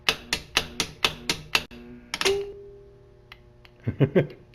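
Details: Q-9000 winch off the vehicle indoors in freezing weather on a 10 amp battery charger, winch-out test; six sharp evenly spaced clicks then a faint hum, no motor spin, charger suspected insufficient; relay clicking, motor not cranking.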